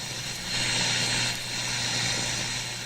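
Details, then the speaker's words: Electrohome Kalmar console stereo receiver being diagnosed for dead FM: a steady, loud hiss over a low hum that swells slightly. The cause is the external antenna clip lead sitting on an untightened, wiggling antenna screw. "I connected my external antenna clip lead onto the screw head of the screw that you put the antenna to. I didn't tighten the screw up, of course, I just put it on. And as I'm sitting here working these things, it's just wiggling the antenna screw."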